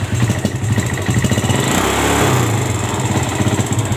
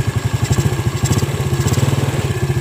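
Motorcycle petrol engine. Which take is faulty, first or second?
first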